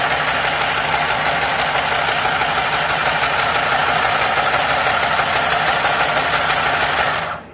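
Even, steady rapid ticking of the needle mechanism, about three strokes a second, with no knocking or grinding, so it is running normally.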